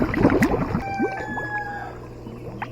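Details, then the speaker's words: Pool pump first switched on with a new DIY sand filter built in a 55-gallon drum: gurgling, sputtering air bursts give way to a steadier low hum as the pump primes and purges air; it then pumps. "It'll take a minute for it to air up and start pumping. Goodness. There's going to be a lot of air in that 55-gallon drum."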